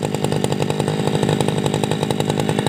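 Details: Tabata brush cutter two-stroke engine, over 7 years of use, original block and piston, two rings recently replaced and piston decarbonized, damper replaced: steady high-revving buzz with even, fast firing rhythm, no misses or rattles; normal running.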